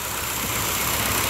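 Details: 318 V8 with EZ-EFI self-tuning injection, which does not control ignition, on a swap-meet throttle body. Short stretch of steady, even idle under a fair bit of hiss, no stumble or miss: smooth and healthy.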